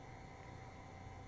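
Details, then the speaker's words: Color wheel in an XD500u DLP projector, spinning during a startup attempt with no lamp installed. A quiet, steady whir holds one fixed tone with no scraping, ticking or wobble; the color wheel is good. "if this was a troubleshooting we would know at this point that the color wheel is good because we don't hear it making any funny noises or see it moving erratically"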